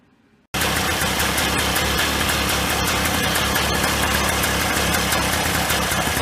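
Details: 1995 Polaris Scrambler 400 2-stroke 4x4 ATV before repair, gas sprayed around PTO-side crankcase seal: loud raspy revs hanging high instead of idling, engine sucks in the gas and floods out; leaking crank seal letting in air, lean idle.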